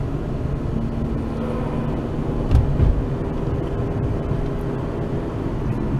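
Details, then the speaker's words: Dodge Avenger at 25 mph after replacing the right (passenger-side) hub assembly: steady low road rumble with no growl, hum or grinding; normal wheel hub, road noise only. "Going 25 miles an hour and no noise, only just the road noise, no bad wheel hub sound."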